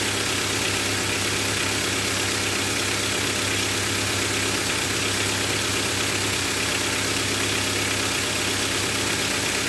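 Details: Honda Civic 1.4i after an oil and filter change: steady, even idle hum with a smooth, unbroken note and no knocks or misfires; engine running normally.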